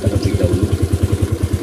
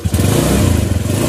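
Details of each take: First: Suzuki Nex automatic scooter that judders when throttle is reapplied after slowing from speed, CVT not yet opened: a deep rhythmic shudder, about nine pulses a second, over the engine; cause not yet identified. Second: Suzuki Nex automatic scooter after refitting roller/variator housing: short, even rev with no shudder or clatter; the judder when opening and closing throttle is gone, running smoother.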